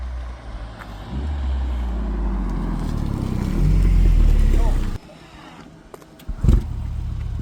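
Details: BMW i8 after exhaust repair (cracked/bad weld and burst flex bellows fixed): revs up smoothly and drops back, deep and even, much quieter, no booming, rattle or vibration; exhaust normal.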